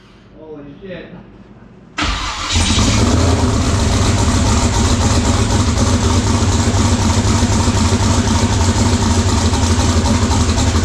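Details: LS-swapped twin-turbo SN95 Mustang on Holley EFI, first start with a leaking fuel tank: after catching, the V8 settles into an uneven, lumpy idle with a stumbling beat. Number two cylinder dead, traced to a cut part to be replaced.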